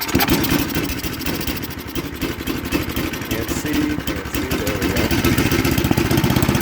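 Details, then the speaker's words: Snapper 8 hp 26-inch snowblower, carburetor just adjusted one and a half turns on high and low speed, warming up after a test fire with fresh oil: a steady, slightly uneven single-cylinder chug; normal warm-up idle. "I adjusted the carburetor one and a half on the high speed one and a half on the low speed so I'm gonna let it just kind of warm up for a minute"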